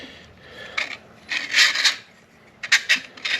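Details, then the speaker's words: Fiero upgraded 1988 CS130-style alternator, spun by hand after adding the factory pulley spacer: dry raspy scrape each time the fan comes around; possibly a bent fan blade rubbing on the case. "looks like kind of bent blad somewhere so I'm going to have to figure out which blade is rubbing where just rubbed right there"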